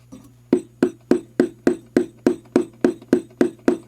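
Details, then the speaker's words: 1966 Gibson GA-15RVT Explorer tube amp on the bench: tapping 6BQ5 output tubes gives sharp clanging thumps with metallic rattle over a low hum; microphonic, trashy-sounding output tubes need replacing, alongside power-cap buzz. "hear that a little bit of rattle this one especially sounds really trashy and this one actually does as well so we're probably gonna need some new output tubes almost guarantee it"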